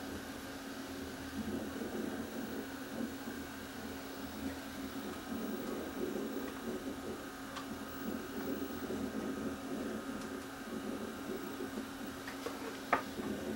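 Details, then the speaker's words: VCR playing a test tape: quiet, even hum and soft transport whir with slight static, no knocking or squeal; tape plays fine and the machine is judged okay. "Okay, that one's not noisy. Well, it is a little. I hear some static in there."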